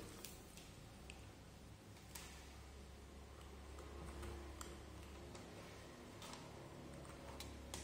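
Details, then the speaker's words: New 12 V normally-closed automatic water tap solenoid valve, tested without membrane: crisp, irregular clicks as the spring-returned plunger snaps in when voltage is applied, over a low hum; working freely, normal. "अगर बिजली का वोल्टेज दिया जाए, तो वह अंदर की ओर खींचेगा, ऐसा इसलिए है क्योंकि वहाँ एक स्प्रिंग है अंदर की ओर ताकि यह स्वचालित रूप से अंदर आ जाए।"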